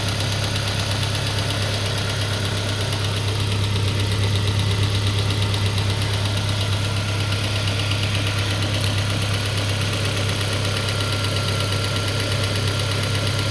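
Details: Peugeot 407 2.2 petrol, cold idle, Total 9000 5W40 oil: fast, fairly regular ticking knock over the engine hum. It appeared after ring replacement, valve lapping, valve stem seal replacement and idle-air channel cleaning. Cause unknown.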